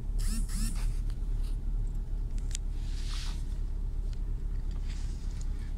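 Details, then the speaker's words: Renault Clio 2 1.4 16V at first cold start, idling near 1000 rpm: lumpy, unsteady idle, car shaking, check-engine light flashing; cylinder 1 misfire code persists despite new coil and plug. "donc là le moteur il est sur 1000 tours mais si vous voyez donc moi qui est dedans la voiture la voiture tremble et sûrement le témoin gestion moteur va clignoter pour un moment"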